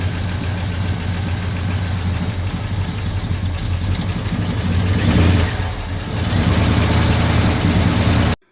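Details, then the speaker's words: 1971 Ford F-100 V8 after sitting for years, run from a gas bottle with carburetor bowls filled: fires right over to a deep idle with a steady low beat and brief rev blip; runs, fuel system needs sorting. "Fired right over. Sounds pretty good. And she lives, so she's gonna need the fuel system sorted, but all in all, she seems to be alive."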